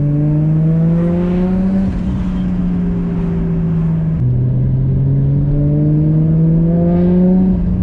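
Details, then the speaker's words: Built 550 hp R33 Skyline RB25DET driven after a lifter fix, heard with wind noise. The exhaust drone climbs through the revs with a clean drop at the gear change and no ticking: a normal exhaust note, with the earlier ticking gone. "i want an r33 like this i love this exhaust note so much i don't know if you guys can hear with all the wind noise"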